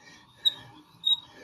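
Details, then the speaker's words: Drill boring into brick with a regular, non-masonry bit: two sharp high squeaks over faint scraping as the bit creaks and goes dull after about 1.5 cm. "That's it, do you hear it creaking? The drill bit is dull ."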